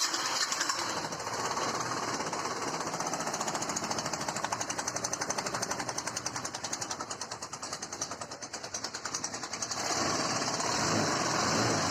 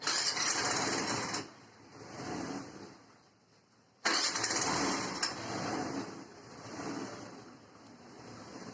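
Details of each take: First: Hero Duet scooter with 27,539 km, idling with a loud, rapid metallic "kat-kat" clatter knocking in the engine; engine to be removed and fully opened. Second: Hero Duet scooter after repairing its engine noise complaint, with the body panels refitted: two short start-ups, each catching quickly and settling into an even, steady beat with no knocks or rattles; normal running.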